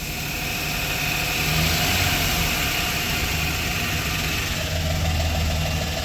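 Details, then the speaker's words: 4.3 Chevy V6 van engine after rebuild with new camshaft, lifters, heads and timing chain, idling smoothly with a steady low rumble and no valve tick; oil pressure about 70, higher than the usual 60. "I don't hear the real distinct tick though, like before, where it's click, click, click, click, click, click. This sounds like a normal engine to me."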